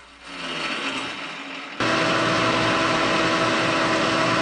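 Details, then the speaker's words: Restoring a K&T 2HL milling machine: turning a replacement crank-end part on the lathe, held only about a quarter inch in the jaw without tail support; harsh steady ringing chatter over spindle noise; operator suspects a chipped insert. "well that sounds pretty terrible and it looks pretty terrible I I think I might have a chip in this insert that I didn't notice when I started"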